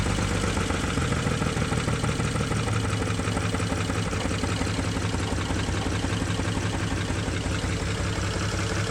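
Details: BMW N54 engine misfiring: uneven, stumbling idle with an irregular low pulse dropping out now and then; cause not yet diagnosed.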